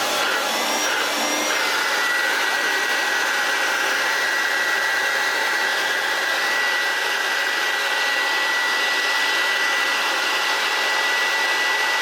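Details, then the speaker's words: Hoover Turbopower U2798 vacuum motor, restored with new bearings, run on the bench: smooth steady high whine with even airflow, no bearing rumble or grinding; slight armature sparking while the carbon brushes bed back in. "beautiful. Very nice indeed. Little bit sparking from the armature, but you know, it's all bit apart."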